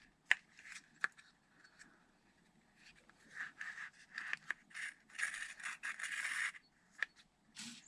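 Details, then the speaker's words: Arrma Vorteks RC truck gearbox during reassembly, turned by hand: sharp clicks then rough scratchy rasps as gear rubs in its proper position. Gear rubbing; owner suspects a missing shim or spacer, possibly source of earlier noise. "Because that's where the gear is supposed to be, but when I do that, it rubs. Am I missing a shim?"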